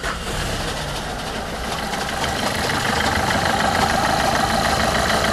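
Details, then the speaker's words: Dacia Logan at 604,000 km, idling in 5th gear with the clutch pedal fully pressed, no response: a thin squeal creeping in above the engine and growing louder, clearer from underneath; clutch pressure plate and disc completely worn out. "Baskı balta bitmiş. Sesi duyuyorsunuz."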